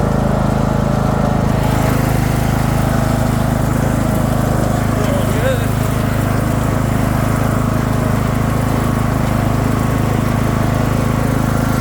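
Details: Craftsman II lawn tractor with swapped-in newer single-cylinder engine: steady, even drone, no misses, surges or knocks; running smoothly.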